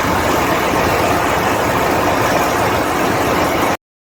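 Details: Ship diesel generator after the hard-starting problem was fixed: settles into a steady, even run with no misses, stumbles or hunting and holds speed; starts and runs normally now.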